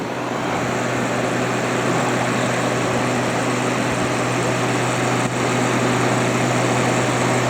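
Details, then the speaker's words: Haier ESA410J-RGB 10,000 BTU window air conditioner, condenser-side airflow test at the back of the unit, about 1,450 RPM: a strong, steady rush of air over an even motor hum that never wavers or rattles. The condenser fan is running normally and powerfully. "There we go. Look at that. This thing is very powerful."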